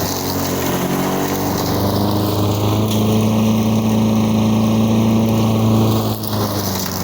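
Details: 1985 Lawn Boy model 7350 two-stroke mower, revived after sitting outside for at least three years, cutting weeds on raised wheels. Steady drone at even speed under load with no misses or surging. Healthy; the owner thinks the RPM is a little low.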